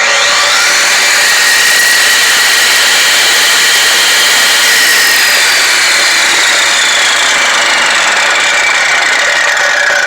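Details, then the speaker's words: Vevor 14-inch concrete saw after the top backing plate was flipped around: a strong, steady, high-pitched scream from engine and blade, holding speed evenly with no slipping or catching. Normal blade spin. "you hear that so that's perfect that's how it's supposed to spin"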